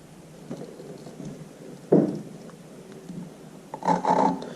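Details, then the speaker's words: Subaru STI cylinder head rebuild, lapping a valve by hand with wet lapping compound on the seat: rough, scratchy grinding strokes in uneven bursts, meaning the valve is not yet seated. Keep lapping until it turns quiet and smooth. "you hear how it's grinding like it sounds very rough you pretty much want to keep doing this and keep moving it until it gets quieter"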